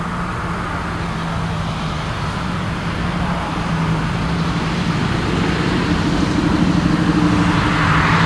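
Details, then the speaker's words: 1979 AMC Spirit AMX, 304 V8, on a road drive with a mechanical-secondary Brawler carb swapped in for a vacuum-secondary Jegs carb, same jetting: engine note climbs steadily, pulls cleanly without stumble or bog; normal acceleration, secondaries now opening. "not bad not bad mechanical secondaries actually work go figure it's nice part about them being mechanical"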